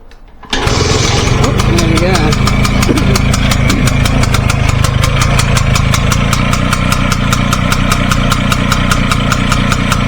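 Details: 1953 BSA Bantam D1 two-stroke, thought to have been restored in 2018, started with choke and fuel on, exhaust pointing out of the garage: catches quickly and holds a crisp, fast putter at about four beats a second; healthy engine.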